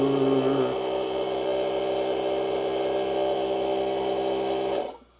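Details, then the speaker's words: Air compressor that sat on the floor for a few years: steady motor hum with a quick tick near four per second, running evenly then cutting off; it sounds fine but isn't pumping. "Okay, this thing apparently doesn't want to work."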